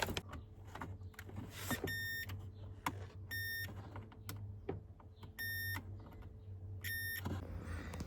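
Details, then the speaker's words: 2007 Ford Territory AWD, 165,000 km, with non-working window switches and two missing fuses: four short high chimes about every 1.5 seconds in a quiet cabin with clicks; warning chime sounding, cause unknown. "Anyway, what's this beeping about? What's that? Uh, what what the hell is going on?"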